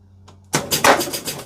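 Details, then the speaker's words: Gottlieb pinball machine during troubleshooting: one sharp, solid knock then quick run of lighter mechanical clacks as a replay is won; knocker firing cleanly and strongly, normal. "And we can hear it too. Gee, that's a good knocker. It's a good knocker. We've got a replay."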